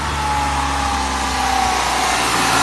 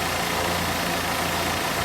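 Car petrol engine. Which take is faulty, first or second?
first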